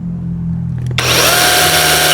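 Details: Cordless electric chainsaw, checked before work after chain-slack tensioning, spins up quickly to a steady, even high whir with no rattle, chatter or bogging; runs smooth and healthy.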